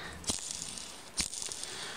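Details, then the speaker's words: Motor bearing (type 60202) from a homemade drill press motor, hand-spun after washing and oiling: dry gritty rattle with two sharper clatters, showing damaged raceways, bearings to be replaced; worn ball bearing rattle. "Змазаний підшипник ніколи не должен гриміти. Промитий підшипник і змазаний ніколи не гримить. А гримить він тільки, якщо у ньому є побиті бігові дорожки."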